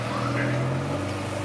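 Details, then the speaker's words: Honda Integra GSR with eBay cat-back exhaust, hangers just welded at muffler shop so it fits: smooth steady low exhaust drone at idle, no rattles, ticks or leak hiss; healthy exhaust. "now it kind of sounds the same but it sounds good"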